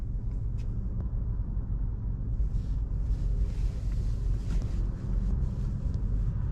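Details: 2019 Vauxhall/Opel Astra after reluctor ring replacement, tachometer working again: deep, even engine rumble with no knocks, ticks or misses; running normally.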